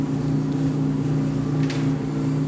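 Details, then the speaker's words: Samsung dryer after new blower wheel installed and reassembly: steady low hum with a droning buzz and no banging while the drum turns; some vibration remains, source unclear, motor not replaced. "so the blower is definitely not banging around but there's some kind of vibration there"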